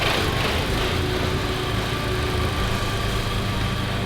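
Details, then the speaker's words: VW Golf GTI petrol engine on a ramp: right after revving, idle drops and hunts, lumpy and uneven, sounding like a misfire, engine rocking as if wanting to die, with no engine light. "For some reason, straight after I'd revved the car, when it was dropping back down to its idle, it was kind of hunting for its idle and sounding like it was misfiring, but there was still no engine light"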